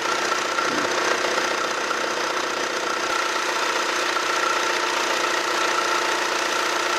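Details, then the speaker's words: Imported car after cam angle sensor repair: thin steady high-pitched chirp over an even hum as the drive belt makes noise at initial start; temporary fix applied to the belt for now. "이거는 이거는 왜 하냐면 벨트가 초기 시동시에 소음이 좀 나가지고 자려고 일단은 임시방편으로 하는 거고"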